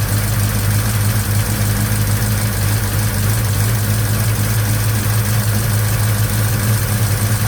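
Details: Chevy 307 V8 in a 1956 Bel Air, first real run after restoration, valve cover off: loud steady idle with fast light tapping like a diesel; owner suspects lifters, later points to a rocker, and replaces the lifters.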